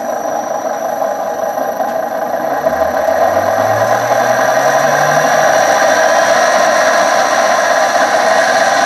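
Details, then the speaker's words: 1966 Hitachi 1.5 hp three-phase lathe motor run from a VFD: quiet for the first 30–45 seconds, then a loud steady hum with a hard howl and low groan swelling mid-run; bearings suspected shot, later replaced with NTN 6306 bearings. "so what is weird is when i first fired this up for the first 30 to 45 seconds it was actually pretty quiet and then all of a sudden it got super loud so i don't know if i would happen to the bearings"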